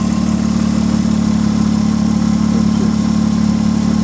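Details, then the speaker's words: 1995 Nissan Maxima, fixer-upper bought at auction, engine fully warmed up at idle: smooth, even hum with a light quick ticking, which is normal fuel injector tick; engine running clean. "fully warmed up sound you hear is the old inject your tick which is normal on all vehicles you know there is no ticket at all whatsoever"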